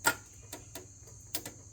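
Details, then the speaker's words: Flood-damaged Isuzu Gemini under restoration, key attempt: a few sharp single clicks and no cranking. Battery reads full; owner suspects the ignition switch is full of garbage and cleans the terminals. Starter clicking, no crank. "how much power's the battery got um it says it was full but I think the ignition switch may be full of garbage"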